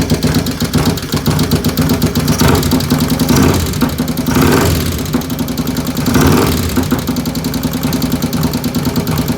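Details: V-twin, 95 cubic inch with 510 cams, at idle: loping idle with a fast metallic tick on each firing pulse, keeping pace with revs; engine ticking, source unknown.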